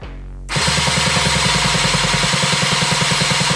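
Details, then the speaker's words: Power Wheels Ford Ranger engine swap with a new starter motor and gear, not starting after a rollover, spark plug grounded: steady cranking chug with no firing and no spark; owner to check for a short to ground, open circuit or wrongly placed connector. "definitely no no spark on that just there so that's tonight's challenge is to just go through with the multimeter make sure that I haven't got any short to grounds or open circuit"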